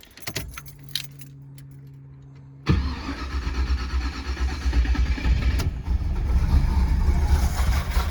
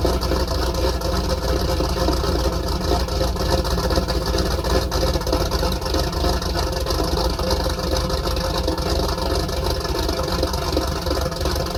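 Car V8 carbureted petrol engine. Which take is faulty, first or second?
first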